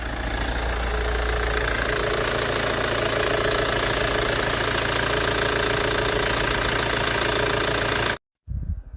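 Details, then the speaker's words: Older Hyundai Tucson, battery voltage measured running shows the alternator not charging: lumpy uneven idle about three beats a second, shaking, then cutting out; rough running from low charging voltage. "회사에서 퇴근해서 오시는데 엔진이 시동이 꺼지려고 부조를 하면서 엔진이 흔들리는 증상이 나타났다고 합니다. 시동을 끄지 않고 배터리 전압을 측정해보는데 발전기에서 충전을 하지 않고 있네요."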